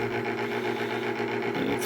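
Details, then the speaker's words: Homemade water-heater heat pump project, water-loop pump just switched on and priming: steady motor hum with choppy sputtering pulses as it gulps air, choking a lot at first; pump priming with air. "in there she goes only got to choke quite a bit at first"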